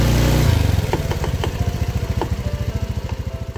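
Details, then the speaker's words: Honda Beat FI v2 scooter with a clunking noise, first thought to be the CVT/pulley side. Mechanic found the worn transmission bearing linking axle to wheel, possibly from hard potholes. Steady low idle thump with scattered sharp clunks; worn transmission bearing. "ko nga nung una ay sa panggilid lang pero nung na-check na mekaniko natin ay sa transmission bearing pala yung bearing na connection ng ehe papunta sa gulong"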